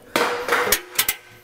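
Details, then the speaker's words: Early-model LG Intellowasher drum turned by hand: harsh scraping rasps and sharp clicks; owner suspects a spun rear drive bearing let a piece of plastic come off and jam the drum. "see that noise it's making that's not good what's actually happened i'm guessing is it spun a bearing on the rear drive and it's calls the piece of plastic to come off and actually jam the drum up"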